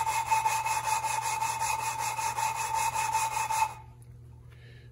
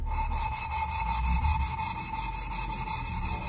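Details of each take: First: 1974 Triumph TR6 cylinder head valve lapping by hand with light pressure: quick sandy rasping strokes with pauses as valve is lifted to redistribute compound; fresh compound still cutting the seat. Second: at the end the as the compound gets spread out you can't hear it that rough anymore it's very smooth which means it doesn't do much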